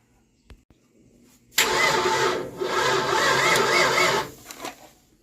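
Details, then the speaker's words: 1988 Ford Mustang GT unstarted since 1999, distributor pulled and number one reset to top dead center, still no spark; new coil later found bubbling inside; starter spins engine steadily about two and a half seconds, never fires. "Nope. No spark again. Don't understand it."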